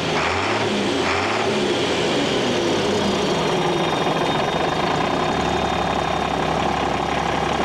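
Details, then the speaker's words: Navistar International DT466 7.6 L diesel in an air-brake truck, started by jumping the tamper-proof starter; steady, even idle clatter with no knocks, misses or hunting. Normal diesel idle. "the diesels are really cheating yeah sounds good"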